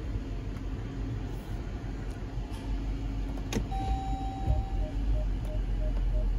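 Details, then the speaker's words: Jeep Grand Cherokee after fixing air suspension that wouldn't lower, engine idling: steady compressor hum with some creaking as ride height rises and lowers, smooth with no strain. Suspension now working normally. "let's back up more kind of hear it creaking so that's good so I'm gonna go back down so it is working just fine"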